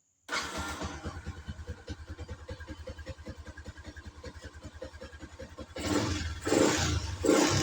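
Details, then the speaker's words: Yamaha Jupiter MX fitted with a Suzuki Shogun CDI: idle is quick and now higher than the earlier very low chugging idle, needing carburetor retuning; revs up sharply in crisp bursts and drops cleanly; normal, very responsive. "Putaran mesin saat idle juga lebih tinggi, yang menunjukkan bahwa sepeda motor dalam kondisi normal."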